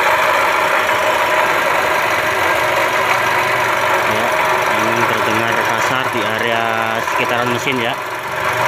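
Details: Toyota Calya/Daihatsu Sigra engine bay at idle: coarse steady grinding rumble that customer reported as rough engine noise; inspection found faulty water pump bearing, fixed by replacing water pump assembly.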